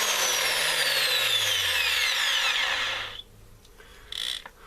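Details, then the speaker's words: Makita M0921 angle grinder after replacing the gearbox gear pair: steady high, smooth whine at full speed, then a clean wind-down when switched off; no grinding or rattle, it runs like new. "никаких посторонних шумов работает нормально как новая но только после ремонта"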